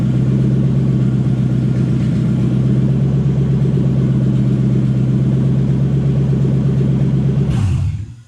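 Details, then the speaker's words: Toyota 1UZ V8 in a Ford Falcon after cleaning a stuck part with carb cleaner (owner suspects it was stuck open): steady, even low idle for about seven seconds, no surging, then clean shutdown; normal idle. "Well, it appears we fixed it. I don't really know what we did. Apparently just taking that apart and cleaning it up a little bit fixed it."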